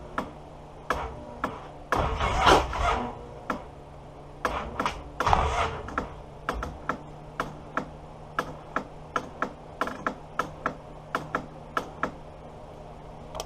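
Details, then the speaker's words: Polaris Sportsman 700 twin ATV with bad battery, cranked on 80 A jump pack: two heavy cranking bursts dragging and stopping dead at compression, clicking between; suspected engine binding, or a sticking starter. "now this sounds like a stuck engine and I hope not see cuz there it rolls over on until it gets to a eye compression again"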